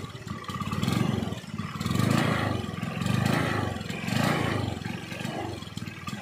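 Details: Honda Beat scooter that stalls suddenly and hesitates when running: the engine swells and sags about once a second, with a clattery stumble as speed rises then drops. The cause is suspected but not confirmed.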